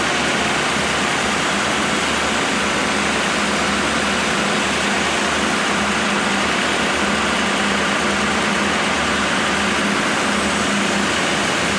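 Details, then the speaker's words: Freshly rebuilt 1987 Mercedes 560SL M117 V8 at its first break-in after 16 years idle. A smooth, even, quiet idle with a low hum, no knocks, misses or rattles; so quiet the timing chain tensioning can be heard. Normal idle. "The actual engine is so quiet that I can hear the chain tensioning."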